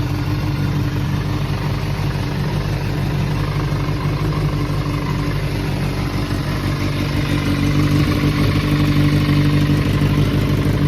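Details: Kawasaki ZRX400 (ZR400E) inline-four, start-up check: smooth, even idle with steady hum and no ticking, knocking or rattles, no abnormal engine noise or white smoke; engine sounds healthy.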